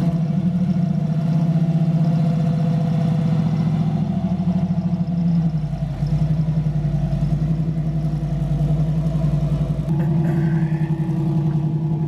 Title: FINALLY DRIVING LS Swapped Camaro! The Nasty Potato Cam Is SICK!